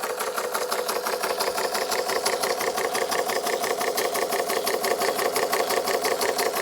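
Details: Bing 130/383 uniflow steam engine, first test run after refabricating many parts, on low pressure, water pump not yet working, possible leak: even, regular chuffing about 87 beats a minute with no knocks or stumbles; running healthy.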